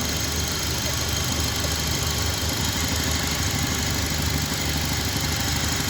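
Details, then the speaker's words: 2004 Honda Accord with vibration and misfire after a bad tune-up, after replacing spark plugs, RPM set: steady even idle, no stumbles; runs on all cylinders, scanner shows no codes; normal idle. "Okay हो गया RPM set माशाल्लाह से जी गाड़ी okay हो गई है"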